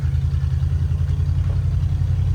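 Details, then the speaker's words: 1977 Ford F150 4x4 V8 barn find, first drive after about 20 years, downshifting to first at a stop: rough, stumbling idle sputtering near stalling; unhappy carburetor suspected, not confirmed. "listen to it she starts sputtering real hard down to first like it's oh don't die like it's having a hard"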